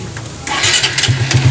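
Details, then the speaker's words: Raider R150 motorcycle starting after its engine rattle (lagitik/kalansing) was fixed with a small, inexpensive repair: brief crank, then the single catches and settles into a steady, even low idle pulse, starting cleanly and running normally. "naandar naman eh ayos na ang motor ng troba"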